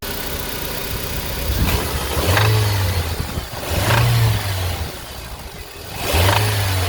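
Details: 2005 Honda Civic DX petrol engine revved in three short blips, with a low knock under the rising revs from a worn rod bearing. It is then repaired by polishing the crankshaft.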